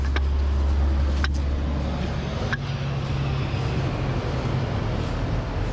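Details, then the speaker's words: Lennox AC outdoor unit not cooling the upstairs, with the compressor not running: a steady low hum with faint clicks and no compressor pickup as it fails to start. The technician suspects the capacitor. "oh i don't know if you can hear but it sounds like it's a capacitor"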